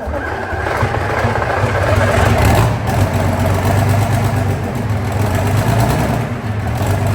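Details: Rolls-Royce diesel engine pack, run up in the workshop on a very cold day after repair. Deep steady rumble settling to an even beat, no knocks or misses. Normal running, though an out-of-balance UJ later smashed a casting off.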